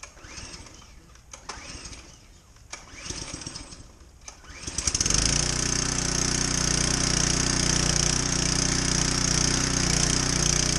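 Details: Generac 3100 psi pressure washer kept in downstairs storage: several weak sputtering pulls and false catches, then it fires and settles into a steady run; hard starting.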